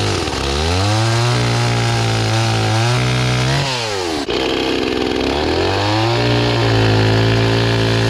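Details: Restored old Stihl 026 two-stroke chainsaw after carburetor cleaning, cutting wood with a rusty, dull chain: strong steady howl sags in pitch in the cut and climbs back when freed; oiling properly, running healthy.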